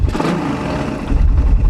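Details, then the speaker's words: Raider 150 carb engine revved up then released: revs rise and settle, deep exhaust with no knocking or tatak-tatak rattle on return; quiet, healthy engine. "diba? Tahimik naman pag ganun."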